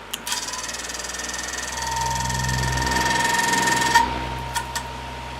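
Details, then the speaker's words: Lakewood HV12 fan, just serviced: a few sharp clicks at startup over the motor hum, then it settles. Owner suspects something in the motor rubbing on the rotor (grinding); it earlier stalled starting on low; bearings believed fine. "turn it on and see if it does it again so you can hear it you could probably hear that uh clicking noise when I first started it"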